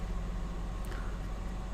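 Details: 2011-2016 Dodge Grand Caravan/Chrysler Town & Country 3.6L that started and died, first start after a temporary fix for the failing soldered fuel pump relay in the TIPM: low steady hum, no misses or stumbles, idling evenly.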